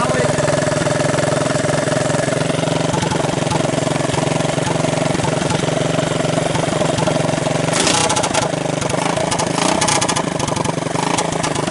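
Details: 1983 Honda ATC200 single after a budget top-end rebuild: torn-up valve seat, used cylinder and rings, old gaskets; started half-choked because the carburetor was suspected of flooding. Chugs steadily at a fast idle, firing evenly without knocks or misses; running normally.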